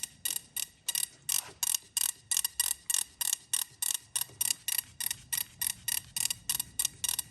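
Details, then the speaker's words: Swamp Thing ignition test with MSD box and coil, new fuse fitted: sharp crackling spark snaps about three a second, crisp and strong; sparks now where it previously wouldn't after the event; normal ignition spark. "it's quite a weird noise it makes is it it's like I knew it was going to work on the bench"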